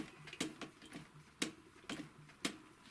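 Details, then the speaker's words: Typical GC 2605 industrial cylinder-arm sewing machine, previously dry, stiff and squeaking, turned slowly by hand after lubrication: soft mechanical clicks with no squeak or squeal. "не скрипит не пищит"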